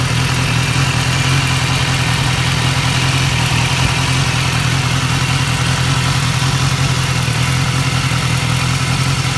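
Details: 2015 BMW S1000R, 4,600 miles: lumpy four-cylinder idle with a faint quick tick, mainly from the left side of the engine, first only at 3,000–4,000 rpm, now at idle too; replacing the butterfly valve and cam chain tensioner fixed it.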